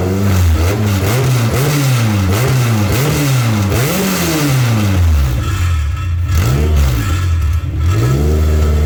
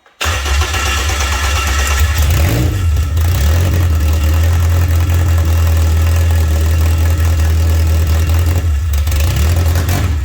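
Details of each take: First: K24-swapped Toyota MR2, first start after fixing reversed fuel pump wiring and blowing out fuel lines: engine catches and runs on its own, revs rising and falling smoothly between steady idle, no misses or knocks; normal running. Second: K24-swapped Toyota MR2 first-start attempt with the fuel line blown out; its fuel pump had been wired backwards: steady low churning with a brief catch near three seconds, never settling to idle. Possible vacuum leak suspected. Crank, no start.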